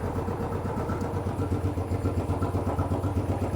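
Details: Royal Enfield Bullet 500 (last 500 UCE, pushrod, hydraulic tappets), 18,000 km, stone cold first start of day on fast idle: even steady single-cylinder thump, no valvetrain tapping or clatter; smooth healthy cold start.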